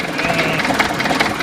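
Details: DT-75 crawler tractor diesel idling roughly, with a sharp knock recurring about every half second over the clatter from inside the engine; engine knock.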